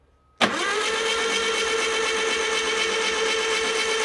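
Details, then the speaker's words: Stored air-cooled Porsche engine with stock Bosch starter, cranked 30 to 40 seconds to splash oil around after oil pressure is confirmed: steady, even starter whir with no firing; spins over smoothly as intended. "So I'm just gonna crank this for 30, 40 seconds before the starter gets kind of warm, really just to splash oil around."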